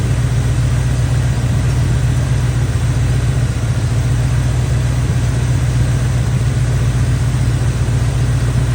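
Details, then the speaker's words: Chevy square-body barn-find truck, automatic V8 (called a 350), after timing set by ear and a distributor, carburetor and ignition tune-up: steady, even low rumble with smooth regular pulses, no stumbles or knocks; idling cleanly, motor running decent. "Got her cleaned up as good as we're going to clean it up. The motor's running decent."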